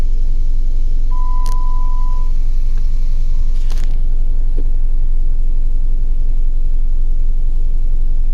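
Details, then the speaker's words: 2011 Jeep Wrangler 3.8L with codes P0340, P0344 and P2305 has a rough, shaking idle with an uneven pulse, a misfire. It still misfires despite a new coil pack, injector and plugs. "oh I can feel it right now this thing's shaking like"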